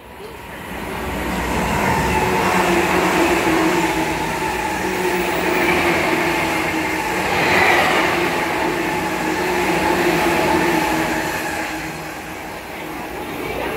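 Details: JR E235 series 1000, 15-car train passing Motoyawata station at high speed: train roar with a heavy repeating wheel beat rising with speed from the rear 11-car F-06 set's flat-spotted wheels.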